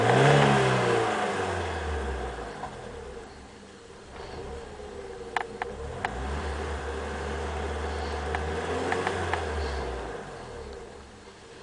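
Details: BMW E30 318i with the M40B18 engine stumbling and stalling occasionally at around 2000 rpm. The cause was a vacuum leak from a loose rubber pipe, and replacing it fixed the problem.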